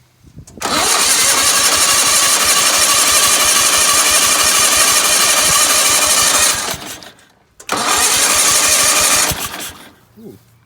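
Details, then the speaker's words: Gravely 8162-T with a used gas tank just installed, spark restored by a new points-box wire terminal, choke on, carb cleaner used: steady cranking about three pulses a second in two long bursts, a faint catch but never runs; cranks but won't start. "Heard it want to do something here. Let me give it some carb cleaner again."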